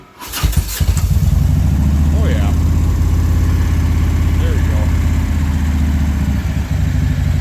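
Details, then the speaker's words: 2000 Harley Ultra Classic with a fresh 95 ci big bore kit, warm start: a short crank, then it catches quickly and settles into a loping V-twin idle with no knocks. It sounds great, though it still needs tuning. "Wonderful. That sounds great."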